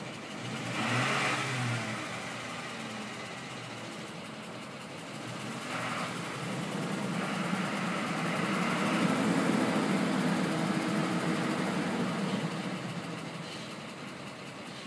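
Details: 2004 Ford F150 5.4 V8 with usual cam phaser noise, VCT solenoids changed the day before: light ticking about four per second rises under acceleration while driving; owner suspects exhaust leak or failing cam phasers, unconfirmed.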